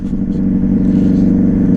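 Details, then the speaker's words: 2009 Yamaha Fazer 600 with WR exhaust tip, riding after a trip, engine revs high when warm: steady, deep droning roar, boomier than normal; owner suspects the recently changed air filter may be poorly seated, unconfirmed. "sabe o negócio que eu tô sentindo que essa moto tá tá berrando estranho"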